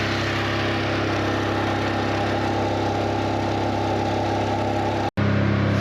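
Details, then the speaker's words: Generator set to 3600 RPM for 60 Hz at 120/240 volts, on its first start after an oil change with fresh fuel: a steady, even engine drone with a constant low hum and no hunting or surging. "That's the starter. This is the first start after the oil change. Fresh fuel really helps."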